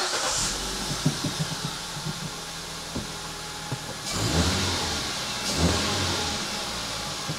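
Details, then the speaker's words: 2016 Hyundai i20 1.2 petrol after spark plug change, idling with cover off: steady idle with two brief revs, no misfire, runs smoothly. "nicely yep that sounds good to me no misfiring seems to run nice and smooth"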